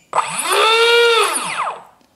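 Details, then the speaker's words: Small electric motor on a generic RC ESC, propeller removed, just after throttle high/low calibration: whines up smoothly to a steady high pitch, holds briefly, then spins down evenly; normal. "if i uh raise the throttle now there we go okay"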